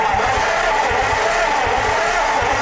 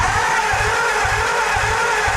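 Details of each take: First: A 1949 Ford farm-find truck, fed from a 12V jump pack wired negative ground straight to the starter with the solenoid suspected bad, gives an even, rhythmic starter churn for about four seconds. The engine cranks freely and isn't seized as feared. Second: 1949 Ford, a farm find, cranking on 12 volts instead of 6 volts. Fast, slightly uneven pulses about twice a second under a loud whirring whine; the starter sounds strained. Cause suspected, not confirmed.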